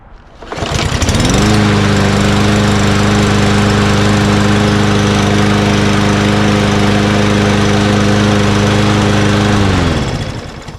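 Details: Craftsman M110 (MTD) push mower with a Briggs 550EX auto-choke engine, after carburetor cleaning and a new air filter: it catches on the first pull, runs smooth and even, then winds down cleanly at shutoff. It is healthy.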